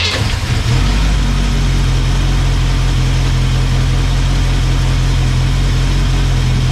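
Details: Petrol engine after fuel line replacement: a steady, even low idle with a smooth beat and no top-end ticking. It sounds good, though the owner fears it won't last.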